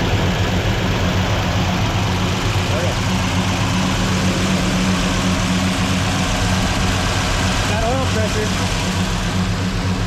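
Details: Rebuilt 283 V8 in a 1967 Chevelle on first start, cam break-in with idle raised, fuel only on primaries and idle air bleeds not set; deep steady even idle, though valve train clatter noted, valves probably need readjusting; normal idle.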